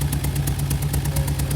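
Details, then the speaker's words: Idling engine heard at the tailpipe with an uneven, lumpy exhaust beat and irregular puffs: engine misfire; spark plugs checked, one with too large a gap; left unchecked, misfires can damage the catalytic converter. "understand from now on that when you have a misfire, you need to get that vehicle checked before it causes more damage because it could be just a spark plug, it could be a coil, it could be something minor that is causing that misfire."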